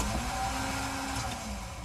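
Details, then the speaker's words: 1999 Ford Explorer starter with new battery fitted: short whirring crank fading within two seconds without catching, starter seemingly half engaging then knocking out; starter replacement planned. "does that so to me what that sounds like is it's like half engaging and then knocking out"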